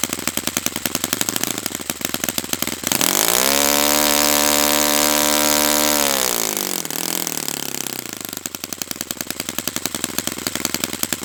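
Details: Saito FA-100T twin-cylinder model engine, first break-in run on a customer engine: crisp regular popping at low speed, clean rise to a steady high wail and back down; running perfectly.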